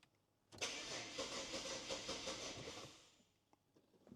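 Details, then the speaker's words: BMW E92 335i with the N54 engine, on its first crank in probably over a year with a weak battery, fuel pump heard priming and the check engine light on: the starter cranks somewhat unevenly for about 2.5 seconds and never catches. Crank no start. "All right, that first go, the battery is struggling a little bit. It almost sounded like you wanted to start. That was the first crank."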